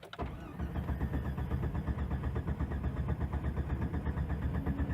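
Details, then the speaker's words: 1996 Jeep Grand Cherokee Laredo at operating temperature, before repair, with rough idle and check engine light on: steady starter cranking runs for several seconds without firing. Long crank when hot; owner suspects a dirty or bad idle air control valve. "okay up to temperature let's see if it's hard starting now"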